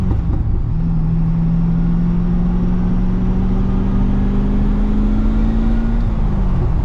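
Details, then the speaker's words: GTO cruising and lifting off throttle after replacing the differential bushing/mount; subframe mounts and driveshaft still to do: smooth low rumble, no clunk or metallic knock; the earlier metal-on-metal lift-off clunk is gone. "I love that you can let off the throttle now and not have that wicked clunk that sounded like metal on metal, but I guess if that diff bushing was worn out, it probably was hitting metal on metal."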